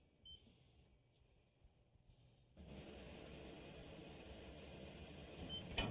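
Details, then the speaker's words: Water hammer in basement pipes from a six-month-old washing machine: steady rushing of water during the fill cycle, then one sharp bang through the pipes as the fill valve shuts. "oh boy that would keep you up I wouldn't it it will okay what that is is thing called water hammer"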